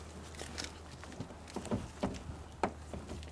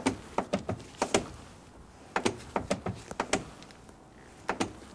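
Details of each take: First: After fitting a new door check strap and bending the wave washer for extra spring tension, the door opens and closes with only slight creaking from the check strap balls, no sharp snapping. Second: Noisy door check strap, even after installing a new one: sharp uneven clicks and snaps in bursts as the door opens and closes, the strap jumping up and down and hitting top and bottom.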